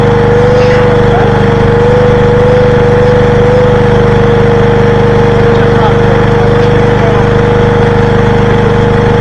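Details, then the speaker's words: 1985 Briggs & Stratton generator left in rain for years, revived: single-cylinder engine holding steady governed speed with constant hum, no misses or surging; produced power until running out of fuel with petcock off. "that so cool we calling that a success she produced power don't know if you could hear the vacuum she produced power"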